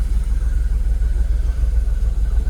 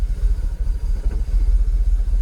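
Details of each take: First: Jaguar XKR (X100) at idle after swapping aftermarket coil packs for genuine used Denso coils on bank 1: a low, even rumble with no stumbles, fuel system in closed loop with no faults, a smooth settled idle. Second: Jaguar XKR (X100) after fitting genuine used Denso coil packs on bank 1: deep, lumpy idle that swells and dips unevenly as it drops from closed to open loop, with restricted performance and pending multiple-misfire codes.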